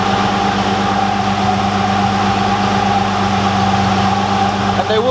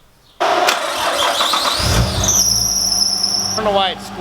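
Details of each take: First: Nissan R33 RB25 after auxiliary belt replacement and retightening the alternator belt: smooth, even idle with a steady low drone and no belt squeal; normal idle. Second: Nissan R33 RB25 after auxiliary belt change: engine starts with sharp steady high squeal, new alternator belt slipping and possibly needing more tension; retightened, much better.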